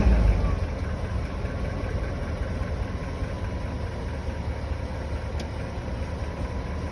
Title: 1998 BMW 540i Engine Knocking Noise